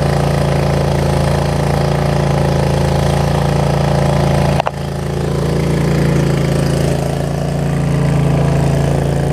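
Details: Troy-Bilt Mustang 50-inch zero-turn mower after muffler reattached with four screws, started cold, a little slow to start: steady low hum with an even beat of about four per second and no misses or rattles, idling smoothly.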